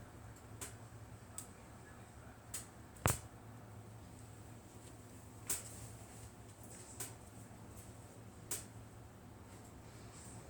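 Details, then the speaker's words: Englander NC30 wood stove heating up from cold: sparse sharp metallic ticks, roughly one every second or two, over a faint hum; normal expansion ticking of the stove body as it warms. "As you sit here and watch this, as I got a little bit more experience with the stove, as you hear the tinking sound or the crackling sound in the stove, you know it's starting to heat up."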